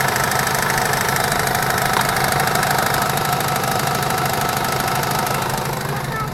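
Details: 2005 Chevrolet Tahoe, new power steering pump knocks about three per second at idle under steering or brake load, louder as fluid warms, gone with throttle; valve and steering box replaced, hydroboost bypassed, knock persists.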